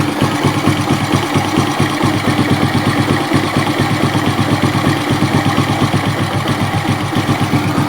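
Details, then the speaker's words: Suzuki Smash that smokes and runs rough when hot, warming up: idle starts smooth when cold, then pulses unevenly about two beats a second; suspected carb, ignition or compression; unstable idle. "Dia lama-kelamaan keganggu ya langsamnya. Kalau dari suara juga memang ini beg gitu ya, jadi keganggu."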